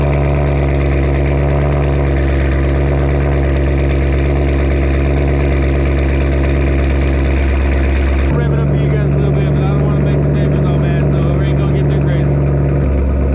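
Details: Vehicle first heard running: engine catches and settles into a loud, deep, steady rumble with an even beat; normal idle through a free-flowing, "loud and proud" exhaust.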